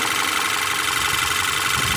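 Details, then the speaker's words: 2013 VW Tiguan 2.0 TSI 4Motion after replacing two faulty ignition coils that caused a misfire and blinking check engine light: even, steady idle with no stumble or skipped beats, smooth hiss and hum; normal idle, light no longer blinking. "So okay, now the engine's running very smooth right now, smoothly with no problem. Two ignition coil plugs were the problem here."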